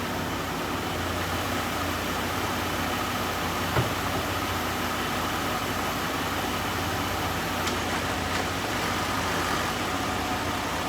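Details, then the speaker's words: 2012 Chrysler Town & Country, 186,000 miles, after new transmission shift solenoid pack, fluid and filter, tested through the gears with wheels turning: quiet steady hum, faint clicks, no clunks or slipping; transmission working normally. "So now we're going to test her through all the gears, make sure everything seems to be working better than it was, although it's going to be difficult to know until we actually put the wheels on it and get it out the door."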